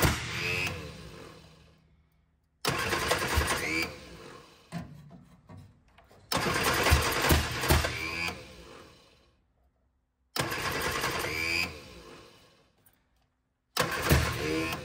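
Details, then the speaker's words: 1965 Innocenti S Spider with 1098 cc engine, long stored, started on starter fluid with a jump pack: it catches in ragged bursts with sharp exhaust backfire pops, then dies. The firing order proved wrong, fixed by swapping plug leads. "I don't know why it's all of a sudden backfiring out the exhaust now"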